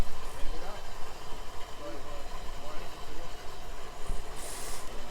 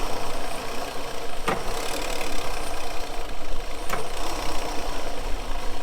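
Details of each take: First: Outboard at idle after clearing a major cooling-water blockage, now 2.8 psi water pressure: low, steady burble with water and wind hiss; runs evenly, normal idle. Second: Starboard boat engine idling roughly with an uneven, stumbling beat from a misfire; the RPM drops sharply when the shift cutoff switch drops a cylinder while shifting; cause still being investigated.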